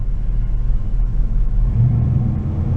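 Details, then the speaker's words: 1986 Oldsmobile Cutlass Supreme Brougham, running outside after sitting 5 years. A low, rumbling idle with an uneven, stuttering beat firms up as revs rise. The owner wonders about old gas; the cause is unconfirmed. "we'll let her run out here for a little bit it a little rumbly it's stuttering quite a bit"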